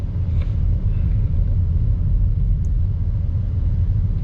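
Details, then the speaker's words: 2014 Chevy Cruze 1.4L turbo four-cylinder, warmed up after the cylinder 4 ignition coil repair; deep, steady, even rumble with no stumbles, and no misfire now at the temperature where it previously began. "so so far we've not hit a misfire one and it's warm enough now that before we would have had that misfire starting"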